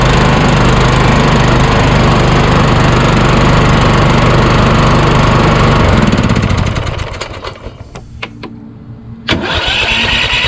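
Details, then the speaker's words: Craftsman YS4500 lawn tractor repowered with Kohler Courage single, starter shimmed out under half a millimeter, about 36°F: engine runs evenly about six seconds, then dies into a few clicks; starter pinion hanging up. "go ah you how that hung up again"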